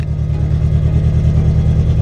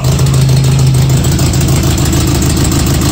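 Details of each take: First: Datsun 620 with a KA24 engine swap on Speeduino ECU, first drive, coolant temperature fine: low, smooth, even drone while driving with no stumble or knock; the engine is running fine. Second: KA24-swapped Datsun 620 on Speeduino, first start after about eight years: lumpy, uneven idle with one cylinder not firing; clogged injectors from storage; dead-cylinder misfire; injectors flushed by jumping them.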